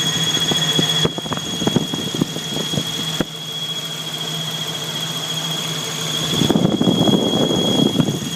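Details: Jeep YJ 4.0L engine running with a steady high-pitched squeal over a low rumble throughout; engine squeal, source unclear.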